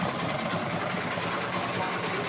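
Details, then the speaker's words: Hero Glamour single-cylinder motorcycle idling after restart with the rectifier earth wire reconnected, running without a wiring kit: quick, even patter holding a steady beat with no cutting out or stumbling. "మీరు బండిలో ఇలాగే పెట్టేసి ఆ వైర్లు అనేది మామూలుగా పెట్టేసి tape వేసుకుని బండి కావాలన్నా రన్నింగ్ చేసుకోవచ్చు, అంటే వైరింగ్ ఇటుతో పని లేకుండా."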